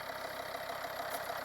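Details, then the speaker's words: Volvo V50 D5 diesel, 142,000 miles, cold idle just after EGR valve and pipework soot cleaning; steady even idle with no knock or misfire, slight hissing suspected from a tensioner or pulley; usually gets noisier after a short drive; normal cold idle. "see how it sounds then, because it usually gets noisier after a short drive."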